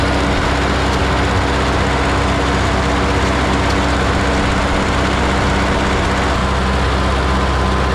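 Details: 1952 Ford 8N tractor, gravity-fed fuel, after replacing the carburetor to cure stalling at idle and under load: steady even low rumble with no dips, ran 20 minutes in the field without dying; fixed.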